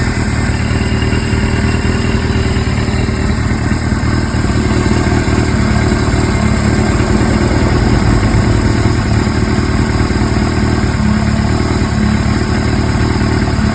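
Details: Suzuki GS-series motorcycle with CVK carburetors, follow-up on engine noise: uneven, lumpy idle with an irregular mechanical beat over the exhaust note; source not pinned down.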